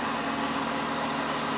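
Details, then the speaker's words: 2007 Toyota Tacoma with A/C blowing no air. Key on, engine off, blower on low: steady, even rush of air with a low constant hum, no rattle or wobble; blower running smoothly. "so let's turn on the low yep i heard the motor running it seems to be let's see as you can see yeah it's low right now yeah low right now"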